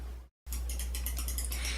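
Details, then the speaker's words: KATO CT9602 torque-limiting clutch drive installing a tangless/Helicoil insert; quick sharp ratcheting clicks as the handle turns but the mandrel doesn't, clutch slipping because torque is set too low to install the insert. "do you hear the clicking sound the handle is turning but the mandrel is not this means the clutch Drive is active and there isn't enough torque to install the insert"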